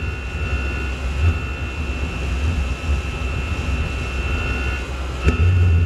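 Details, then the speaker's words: Chinese PT-5 diesel air heater run on fuel with some gasoline added, air inlet almost fully covered; steady low roar with uneven surging and faint whistle; rough, struggling combustion, seems fuel-starved though fuel flows, owner suspects too much gasoline. "it's like it's not getting enough fuel but I can see the fuel going in"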